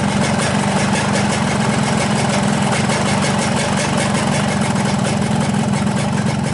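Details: 2003 Yamaha RX-King two-stroke after replacing the loose piston: a steady, even idle with a smooth low beat, and the earlier rattle from the piston wobbling in the block is gone.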